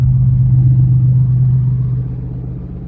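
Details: 1980 Z28 V8 just started on a new knock-off Holley 4-barrel carburetor, no brakes, carb not leaking: deep, steady rumble at a fast idle that never settles to a normal lazy lope. The idle is set too high.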